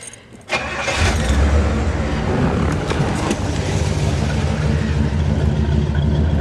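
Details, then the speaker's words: 1968 Pontiac GTO V8, after a highway drive home with no issues: short crank catches cleanly, then settles into a deep, steady, even burble; a healthy start. "come back here and listen to it she sounds pretty good"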